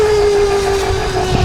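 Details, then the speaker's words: ETM Revolver electric motorcycle with upgraded Alpha motor, 420 chain and new tune, first ride: motor whine holds a steady high tone, then a brief metallic rattle appears as the throttle comes off; source not pinned down. "That right there, that like kind of metallic sound."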